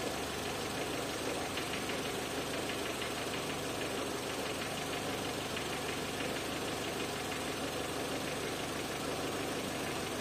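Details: Renault Clio 1.0 16v with intermittent no-start fault: steady, even idle with a constant mechanical whirr, no misses or stumbles; engine running normally, crankshaft speed sensor signal checked perfect on oscilloscope.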